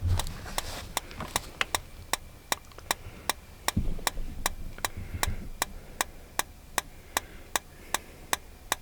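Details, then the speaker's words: RV gas refrigerator on auto with no AC shore power, so it switches to gas after dewinterizing: sharp igniter clicks about two and a half per second, then the burner catches right away. Normal gas ignition. "Could you hear it? Lit right up."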